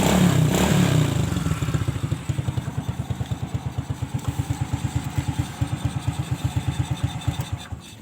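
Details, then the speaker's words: Old Honda Supra/Grand Supra Fit motorcycle after repair of a no-start on electric start: catches straight away, steady even putt-putt idle about three beats a second; starts and idles properly. "kita Nyalakan langsung nyala Oke kita matikan kembali kita Nyalakan langsung sering"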